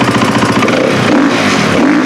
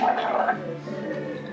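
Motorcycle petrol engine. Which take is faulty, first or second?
second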